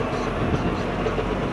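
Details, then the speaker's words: JCB Fastrac tractor under way just after water pump replacement: heavy rough low rumble and clatter with vibration over engine drone; transmission oil pressure warning buzzer earlier; owner suspects rear differential failure, unconfirmed. "something has gone majorly in probably the rear diff let's make it over a racket bit of a vibration so my guess is the rear dish"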